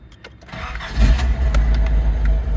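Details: 1986 Nissan 200SX S12 Silvia with intermittent wiring faults: short crank, fuel pump heard, engine catches cleanly within a second and settles into steady, even idle; healthy start.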